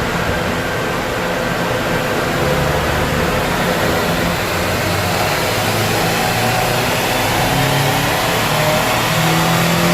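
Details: Subaru EJ255/EJ257 turbo on dyno, warmed up, low-boost full-throttle pull after fixing cylinder 2 misfire (coil pack; customer-installed plug found broken). Steady, even roar, no stumbles, pops or dropouts; smoother, cleaner air-fuel, more power; misfire gone.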